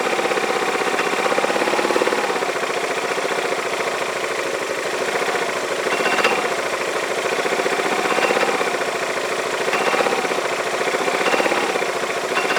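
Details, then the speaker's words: Yamaha Majesty scooter idling on the lift with the parking brake on: a loose, irregular metal-on-metal clank over a steady idle. The owner suspects the CVT clutch, is unsure whether it is normal, and plans to tear down the clutch and shaft. "it's like metal-on-metal but that sounds like smelling metal-to-metal what does normal I don't know I don't that's normal or not but that's the noise I hear"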